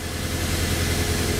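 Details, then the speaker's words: 2005 Nissan Altima started after relieving coolant pressure, very wet plugs, blown head gasket: steady low idle rumble with an uneven exhaust beat, misfire from coolant-fouled spark plug. "There you can hear that miss."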